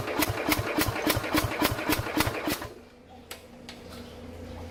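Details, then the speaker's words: 1969 Bolens 850 tractor, Wisconsin S8D 8.25 hp engine after 3 years sitting, some throttle and choke: slow even huffs about three to four a second while cranking, never fires; owner suspects very low compression. "It's like it's trying to do something, but it can't. See, it just doesn't have enough guts to do anything, I guess."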